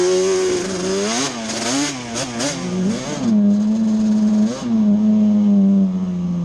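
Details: Yamaha Banshee two-stroke ATV after a misfire chase (new NGK plug caps, temporary eBay coil didn't cure it): carb needles moved back to middle position, clean revs rising and falling with no stumble or miss; miss gone, running normally on test ride.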